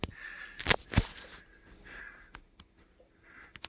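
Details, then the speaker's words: DIY CNC router table stepper motors during a quick 550 mm X-axis move: thin steady high whine under buzzing moves and ticks, from the chopper controller's PWM switching frequency on the coils. "you hear that whine and that's because we're using a chopper controller and the frequency it needs is less than the frequency it can do or more than the frequency it can do"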